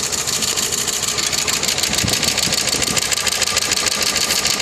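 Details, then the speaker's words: Opel Vectra 1.8 16V petrol, driven hard on the autobahn without oil: sharp fast metallic tapping about three per second clattering over the idle; serious internal engine knock, piston rings suspected. "Человек ездил без масла на автобаме, гнал, не обратил на уровень масла. Вот так теперь работает мотор."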